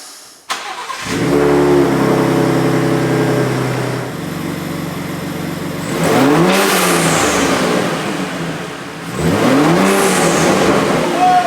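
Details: 2023 Ford Raptor 3.5L twin-turbo EcoBoost, factory diverter valve replaced with Turbosmart vent-to-atmosphere blow-off valve (TS-0225-1001), first start after install: engine starts and revs twice, each throttle lift gives a falling airy whoosh; valve venting normally.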